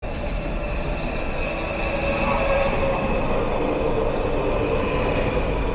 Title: WMATA 6000 Series Train pulls into College Park Station. Making a weird noise. #train